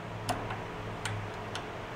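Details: Junk riding mower engine powered by a jumper pack: a quiet background with a few sharp clicks as power comes on, the fuel shutoff solenoid clicking in normally.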